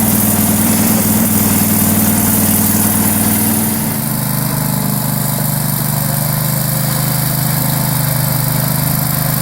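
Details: Struck Magnatrac MT2000 with a newly fitted Predator 670 22 hp twin-cylinder engine, first start: even V-twin idle, then a smooth shift to a lower steady speed with no misses, knocks or rattles; the engine runs healthy.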